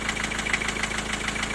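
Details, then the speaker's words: Four-cylinder diesel at idle: quick, regular metallic knock, several per second, over the diesel rattle, localized near cylinder four. It is intermittent and stops after highway driving. The vacuum unit was replaced and the injectors were ruled out. "Ну там же стучит в районе четвёртого что это может быть не понимаю может на поршне"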